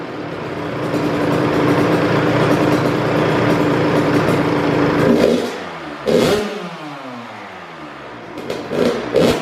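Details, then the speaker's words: Kawasaki KX112 two-stroke first start after build (Pro Circuit Works pipe, R-304 silencer, Boyesen RAD valve, VHM high-compression head, Uni filter, rejetted, premium non-ethanol fuel), no choke: crisp idle, sharp clean blips without bogging; runs well. "super super good running bike that's for sure so let's let's run it again see how we go no choke this time"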